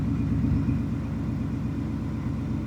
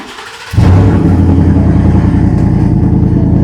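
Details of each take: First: 2019 Ford F-150 5.0 V8, warmed up, after repair of a cylinder 4 misfire that persisted despite a new plug and coil; smooth, even idle with steady firing pulses and no skip. Normal idle after repair. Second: 2019 Ford F-150 5.0L V8 with a cylinder 4 misfire that persisted after the owner replaced the coil and spark plug: hard start, then a low, uneven idle with a recurring stumble; misfire from a cylinder getting no fuel.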